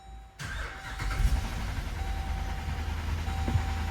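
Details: Jeep Grand Cherokee V8, cold start, multiple cylinder misfires and low oil pressure sensor circuit codes: rough idle with a deep, uneven knock underneath; first thought lifter-related, diagnosed as a failing rod bearing about to throw a rod; engine teardown considered.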